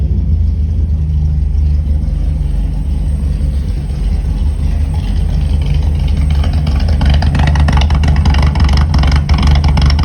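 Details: VW Gol G1 starting on the first try, engine cold, carburetor seemingly well tuned: deep loud rumble at a slightly uneven idle rising to a booming roar on light revs; exhaust very loud, suspected to have only one muffler chamber.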